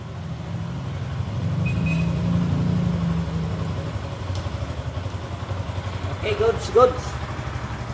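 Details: Suzuki Gixxer that wouldn't start, after cleaning a rusty, water-contaminated fuel tank, new fuel filter and spark plug: engine idles evenly, pitch rises and falls cleanly with the throttle; now runs properly.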